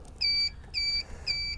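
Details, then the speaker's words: Golden Eagle 4-wheel mobility scooter beeps three times, evenly spaced and high-pitched, when the key is turned on while the drive is in freewheel (neutral); pushing the red handle down puts the motor in gear. "so if you get your scooter and the key is off and you're able to roll it like this that means it's in neutral right over here there's a red handle where my hand is push the red handle down that puts the motor in gear"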